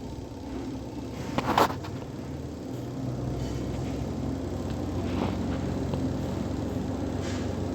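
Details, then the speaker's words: 7.5 kg LG semi-automatic washing machine spin dryer after removing cloth stuck inside that caused loud noise: smooth steady low drone with no scraping, knocking or rubbing, now running normally. "तो अ इसमें बिल्कुल बात नहीं आ रही बिल्कुल सही चल रही है"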